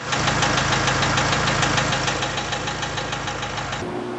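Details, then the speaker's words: Diesel tractor at idle after an oil-filter line was holed; a heavy, regular knock at about three per second rides over the steady idle; forum suggests connecting-rod bearings, though the bearings looked fine when inspected. "But the more I listen to it, I'm like, there's a knocking noise in there. And here's a video of the sound it was making."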